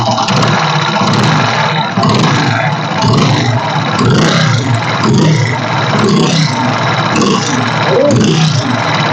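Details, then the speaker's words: Freshly rebuilt engine with late starting, no pickup and overheating. It runs loud and rough with an uneven puffing pulse about once a second. The head gasket was found burnt and split. "दोस्तो आपको अब इसका गड का हमारा बिल्कुल बेकार हो चुका है गल चुका है व और गाड़ी कान हुआ है पूरा इसका गाड़ी का"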